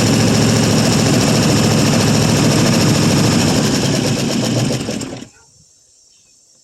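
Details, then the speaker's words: 1974 International 200 pickup with a V8, just running after about 25 years parked with a seized engine: rough V8 with fast regular ticking about four a second, typical International lifter click, lifters likely dry from sitting. "So, sounds like typical international lifter click. But course, I'm of course I'm sure the old lifters are probably pretty dry after it's been sitting around so long."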